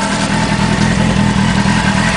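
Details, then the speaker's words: 2000 Honda Hornet (H65) four-cylinder, 15 years old, on standard silencers: smooth, quiet, even purr at tickover with no rattles or hunting, like a sewing machine, and no oil leaks; idling as it should. "But there it goes, ticking away like a sewing machine. And it doesn't leak oil."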